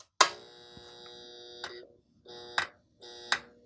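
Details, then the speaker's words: Industrial RF modulator at switch-on: a steady electrical buzz with a sharp click. Pushing on it changes the vibration; mounts and screws are tight. A transformer issue is suspected, with corrosion and burn marks inside. The cause is internal and unconfirmed. "yeah just pushing on it changes the vibration pattern it's not the mounts uh I checked these screws it's tight in there something's wrong internally causing it to vibrate"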